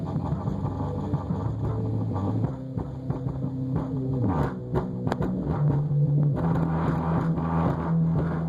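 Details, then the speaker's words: Kicker ZX400.1 amp after repair of a broken trace under the relay, driving a free-air Rockford P2 subwoofer with no box: deep, clean bass steps and slides in pitch, loose bench items rattle; the amplifier works normally. "So I got it hooked up to this Rockford P2, just free airing it, no box or anything. I don't know if you can hear it, but it is working."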